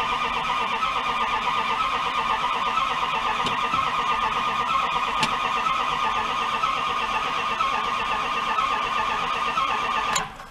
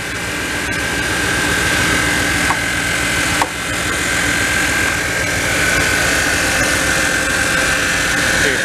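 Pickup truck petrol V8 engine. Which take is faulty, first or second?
first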